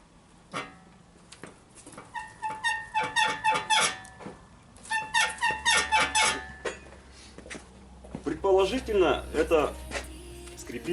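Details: Toyota Mark II/Chaser/Crown/Verossa-type front suspension, squeaking even over small bumps; lower front ball joint suspected, not the stabilizer bushings a diagnostic shop blamed. Sharp metallic squeaks, about two a second, in time with the car rocking; front suspension squeak.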